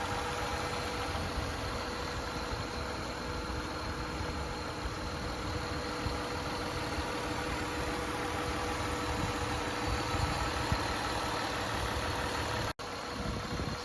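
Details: 1994 Acura Legend GS 6-speed V6 with a timing belt changed some years ago, said to run fantastic: quiet, smooth, even idle with a steady low hum and no knocks, ticks or misses; normal idle.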